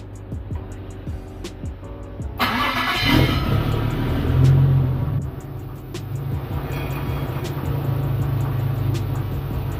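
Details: Nissan S14 240SX after fuel pump replacement and relay swap for a fuel delivery issue, test start after reinstall: short crank, catches and flares, then smooth, steady idle with no misses.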